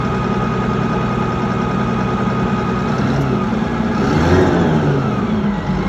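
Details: Mitsubishi 6M60 crane diesel revs up then drops back to idle with an uneven, stumbling beat under the clatter and engine shaking; a misfire.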